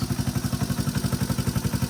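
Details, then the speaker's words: 1986 Honda Fourtrax TRX 125cc ATV, electric start, original exhaust, after a light cosmetic restoration with the engine untouched: an even, steady putter at idle with no knocks or misses; runs like new, no smoke, full start works. "runs like new no smoke uh mostly well i didn't take it apart or do anything with it because it runs so good full start works"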